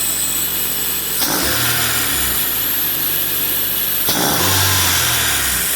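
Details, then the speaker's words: Nissan SR20DET turbo four with fresh Shell Rotella 15W-40 and new filter, intercooler piping not installed: two quick blips from steady idle, revs rising and falling cleanly, no misfire, knock or rattle; normal rev. "So that sounds pretty good. We're going to go ahead and shut it off now, and then we'll talk some more about what we're going to do."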